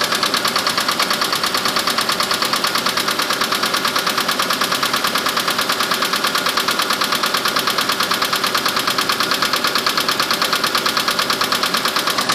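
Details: Mitsubishi Mirage at cold idle in winter: fast, very even hollow knocking, steady with no rev change; piston slap that disappears once warm and never occurs in summer.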